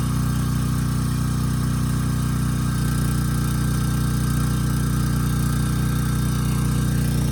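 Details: Briggs and Stratton Storm Responder generator, bought as a parts machine, under a 3,000 W load targeting about 60 Hz. Steady, even drone with no dips or knocks, governing cleanly and holding speed well; it ran slightly fast, so the governor tab was adjusted afterward.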